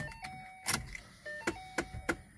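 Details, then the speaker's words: Suspected blend door actuator on a 2012 Mustang GT (S197): sharp plastic clicks about three times a second under the dash while switching between vents, defrost and floor; owner plans to order the gear, not confirmed. "so this sound is actually the blend or the changes between Vince defrost and floor it's got a pump I need to order that gear"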